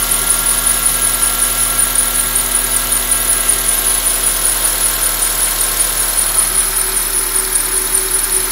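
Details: 2004 Honda Accord K24 at steady idle: thin, very high-pitched chirping squeal pulsing about four times a second; source not identified yet.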